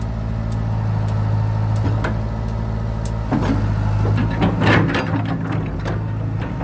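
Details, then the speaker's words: John Deere 490E excavator with Hitachi hydraulic pump set to limp mode, computer bypassed, cable throttle: steady diesel drone with odd clanks as hydraulics work; engine speed holds under load, slower but no longer bogs. "with it in lint mode it's working fine it's definitely a lot slower but it doesn't bog out"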